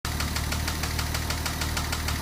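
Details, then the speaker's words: 2007 Porsche Cayman S after chain tensioner, cam actuators and intake cam gear replacement, warm idle: sharp steady knock about six or seven hits a second from a collapsed lifter; quiet cold, hammering once warm. "this one has a collapse lifter and it's knocking as you can hear it's pretty quiet when you start it up cold but as it warms up it starts hammering"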